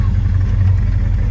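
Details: 1971 car idling after a quick-charged battery, ready for the road before the paint shop. Steady low rumble with an even beat and no knocks or ticks: a normal healthy idle.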